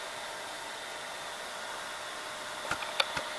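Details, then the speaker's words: Funai FHC-1200 4-head hi-fi VCR after replacing all belts and greasing cam gear and gears: soft steady hum and hiss from transport, a few light clicks near end; tape plays smoothly and normally. "Play. Now it's playing fine, with no issues. So yes, every belt has been replaced."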